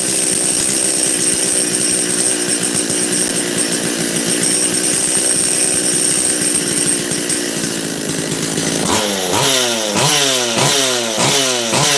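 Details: Makita DCS540 chainsaw after high-jet carb screw opened half a turn: steady high-pitched buzz, repeated quick throttle blips rising and falling cleanly without bogging; normal running.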